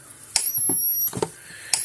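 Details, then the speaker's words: 2004 Gallagher B1200 battery fence charger after refitting the original output board, on the high setting: high thin whine builds to a sharp snap, repeating regularly about every 1.5 seconds. "now we'll go to medium power you'll hear the change the clicking sound the the speed the winding up noise is shorten up a little bit cuz it's"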